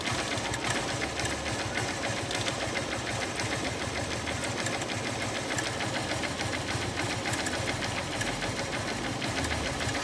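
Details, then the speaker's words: Honda Unicorn BS3 motorcycle engine that suddenly started ticking: rapid, constant tick-tick a few times a second over the running engine, likely top-end; cause unknown. "अचानक से बहुत टिक टिक टिक टिक टिक की आवाज आने लग गई है बाइक के इंजन से"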